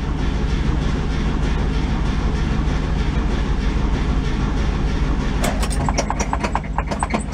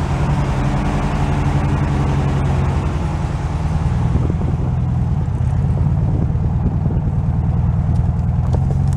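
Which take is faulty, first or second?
first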